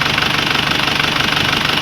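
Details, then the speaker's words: Isuzu Crosswind diesel idling right after an oil and oil filter change, no leaks at filter: even clatter at a steady beat, no misses or extra knocks; smoother and quieter than before because the oil is new. "Iba na po yung tunog niya, mas smooth na siya ang tunog niya, tahimik na. Hindi na ganong kaingay. Bago na po kasi yung langis niya eh."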